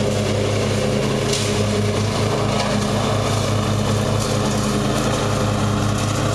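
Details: Murray riding mower, first run of the year after long storage and a mouse nest cleaned out; gas half full and not old, filter unchanged. A steady, even single-cylinder drone at constant speed with no cutting out or surging; running perfectly.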